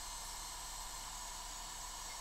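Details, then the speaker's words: Modified 24 V ECO 6-10 charger (350 W) charging a 10,000 mAh pack near balance stage at about 140 W, steady high-pitched electronic whine over fan hiss as it nears thermal cutoff. "So, you can hear it whining. Um, which is pretty annoying in these chargers."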